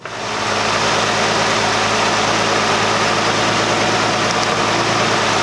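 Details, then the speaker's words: 2008 Chrysler 300 2.7 with misfire codes for cylinders 2 and 3 and a vacuum leak ruled out. Rough, loping idle with an intermittent stumble, heard through a screwdriver on the injectors. All injectors click, cylinder 2 more rapidly. Misfire. "I'm going to put it up against the injector and see if I can hear it tapping. Now I definitely do hear clicking from all 3 of the cylinders. The cylinder 2 seems more rapid, so I'm not sure what that means."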